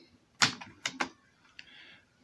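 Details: Toshiba PC-G10 cassette deck that only clicks: a few sharp mechanism clicks with no motor drive or tape movement, as perished belts let the transport slip.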